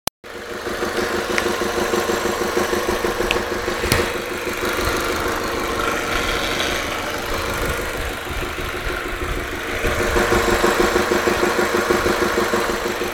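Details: Audi A3 1.8T 180 hp: steady idle with fast, fairly even tapping about three per second (TUC TUC) over the engine; abnormal engine ticking at idle, source unclear.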